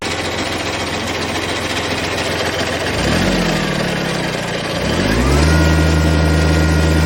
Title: Kubota B7100 HST rattling noise